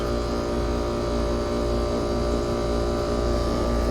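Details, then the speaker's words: Trane AC unit after replacing the compressor run capacitor with a 70/5 µF part; compressor kicks on and holds a steady, fairly loud hum with even tone and no clatter; running normally. "Compressor kind of loud."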